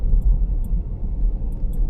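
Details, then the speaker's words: Vauxhall Corsa after replacing worn front shock absorber top mountings and setting tyres to 32 psi, reversing slowly out of a driveway: only a low, even rumble, the previous front suspension knock gone. "I can hear that the knocking noise that it did have has disappeared."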